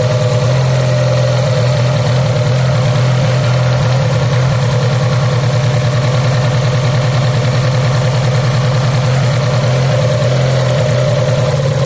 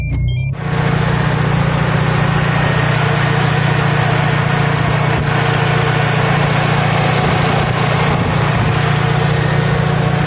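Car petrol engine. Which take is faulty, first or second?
first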